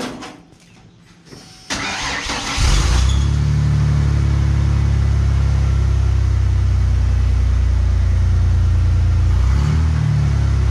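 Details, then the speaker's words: 2017 Ford F150 5.0 V8 with the old exhaust and muffler removed, old catalytic converters still on: cranks and settles into a deep, booming burble far louder than stock; muffler removal makes a huge difference. "well turns out I was wrong that actually makes a huge difference"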